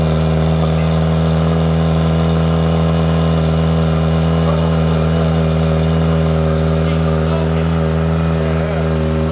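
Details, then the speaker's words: Kawasaki Ninja ZX-4RR, first startup after installing a Vandemon full titanium exhaust coated with oil to help it blue; loud, deep, steady idle with a constant low drone, no knocks or misses; normal idle. "sounds crazy. Turning blue? No, it has to get hotter to turn blue. Man, this thing sounds insane."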